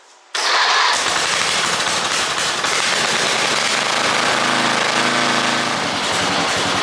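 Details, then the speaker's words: 1988 Briggs & Stratton I/C 12 HP flathead mower engine after the starter gear and drive were replaced: a quick crank, then a steady, very low, even single-cylinder idle with no misses; normal start and idle. "this out guys this old motor runs really sweet look how low it can idle"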